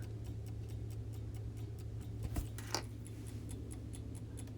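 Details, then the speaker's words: Vintage Coca-Cola electric rewind clock, reassembled after repair: quiet, even ticks roughly two or three a second with a faint low hum, running normally while awaiting automatic rewind. "officially reassembled and as you can hear and see it's ticking away now to wait till it needs to rewind and see if it's going to rewind on its own"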